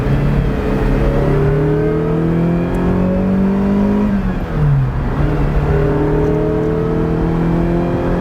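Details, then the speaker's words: 1978 Ferrari 308GTB, restored, with a brand new clutch and a Holley installed. Crisp, even engine note climbs smoothly, dips briefly on a shift, then pulls cleanly again; healthy, normal running. "Wipers work. As you can hear, it runs very well."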